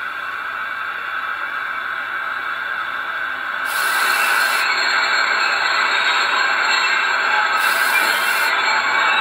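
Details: LGB Stainz locomotive fitted with a Massoth electric decoupler and Massoth Power Buffer, CVs programmed via Massoth Service Tool: a steady mid-pitched motor whine holds even over light hiss with no catching or stutter; running normally.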